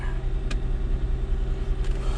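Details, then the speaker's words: Mercedes CLK 320 V6 after replacing the cylinder five coil pack and two spark plug wires to cure a misfire; even, low idle with no stumble or skipped beats, misfire gone, no check engine light. "And yeah, right now it runs smooth. It's not chopping or anything, not misfiring."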